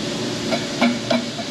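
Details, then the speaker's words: Caterpillar D4400 diesel injector from a 1939 D4 on a pop-test bench: crisp, evenly spaced chatter bursts about three per second with no dribble or seeping. Normal, healthy injector chatter. "and that's a beautiful chatter on these inder eggs that's a good one that sounds really good"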